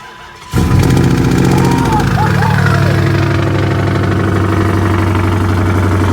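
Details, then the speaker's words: 5.7 Hemi after replacing a fire-damaged alternator and splicing wire: engine starts and idles steadily with a light fast ticking; owner suspects the belt was reinstalled too loose, noise from belt and pulleys. "I think I put the belt back on too loose. I think it needs to be tightened just a tad bit, because it sounds like I have a ticking noise, but that's just the belt, the pulleys and stuff."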